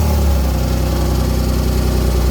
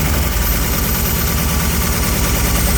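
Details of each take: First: BMW E36 328i at idle after exhaust work for its pop-and-bang setup: steady, even low idle rumble with no misses or hunting; the engine runs cleanly and smoothly. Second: BMW E36 328i on first start after refit of battery, water hoses and airflow meter: loud, lumpy idle with uneven chuffing beat and missed pulses; misfire consistent with injectors stuck from sitting.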